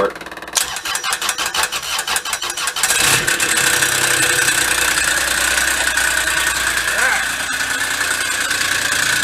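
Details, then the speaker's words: Kubota diesel Bobcat side-by-side, parked for years: slow cranking at about two turns a second, then a loud rough whir with high ringing whine from a blown-apart CVT clutch; engine itself fine. "that clutch is all the noise though huh good I was getting a little nervous that we had a bad engine but we don't have a bad engine"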